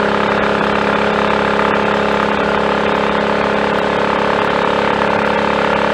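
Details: Triumph Tiger Cub on a frosty morning, 12-mile ride under load after fitting a new carburettor slide, needle, needle jet and main jet to lean a rich mixture: steady, even single-cylinder drone with no misfiring, though the plug stayed fairly black.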